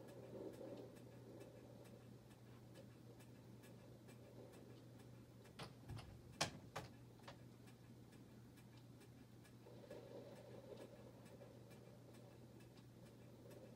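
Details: Harbor Breeze Bella Vista ceiling fan: steady low hum with regular light ticking about three clicks a second; loose mounting bracket makes the fan wobble and noisy.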